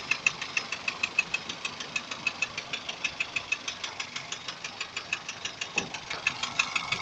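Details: Daihatsu 1.3 turbo engine: sharp metallic ticking knocks, about three a second, sitting above a quiet engine run. The cause is unknown.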